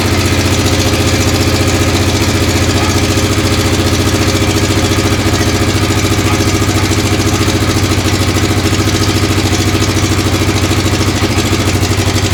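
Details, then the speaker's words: Freshly assembled 1996 XR600R, first start after kicking on full choke, fast idle with a light regular tick over the single's beat. The owner suspects loose valve lash needing adjustment, right front, unconfirmed. "sounds like I need a valve adjustment sounds like the right front"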